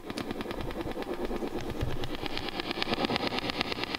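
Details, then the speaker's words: Fender '68 Deluxe Reverb played clean with tremolo/vibrato on: faint regular tick pulsing with the tremolo, fading at volume eight or higher; tremolo circuit bleeding into the signal suspected, not confirmed. "that ticking i think is really distracting and for me that was the deal breaker"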